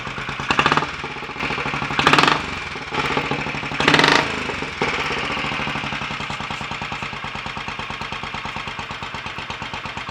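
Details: Royal Enfield 500 Bullet, first start after top-end work: ported head, reseated valves, new guides, high-compression piston, retarded inlet cam, ignition advanced a touch. After throttle blips it settles into an even single-cylinder thump at slow cold idle. Normal idle.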